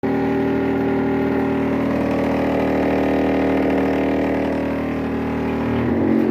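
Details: Brastemp 15 kg washing machine (BWB15/PWA15) making a loud steady buzzing drone with a fluttering pulse while filling with water; a strange noise during fill.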